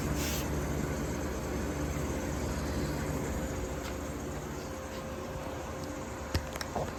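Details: 1953 Fedders Weather Bureau window air conditioner with a Tecumseh S-series compressor, after service, drawing 6 amps and 488 watts. Low steady hum with a smooth fan rush, no rattles. Evaporator is freezing cold and fully sweated. Normal compressor and fan running.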